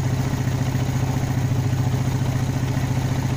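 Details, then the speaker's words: Small motorcycle with carburetor brebet (stumble) problem, fuel-related, now idling fairly well: engine chugs unevenly at low revs, sputtering rather than picking up cleanly as the throttle is opened slightly, only revving up after a delay. "sekarang Donald perhatikan ketika gas ini kita buka sedikit aja deh dengarkan ya kita buka gas sedikit kita pelintir nah dia ada berubah sedikit nanti lama-lama dia akan teriak"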